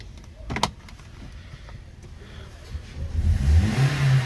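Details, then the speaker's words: 2013 Toyota Corolla 1.8 16-valve flex-fuel with CNG, after alternator replaced with new pulley for belt noise on acceleration: quiet idle, then a couple of rising revs, no squeal or chatter from belt side; noise gone. "agora vou mostrar a vocês que resolveu alternador no lugar com veículo funcionando poia nova nov marcha lenta barulho nenhum"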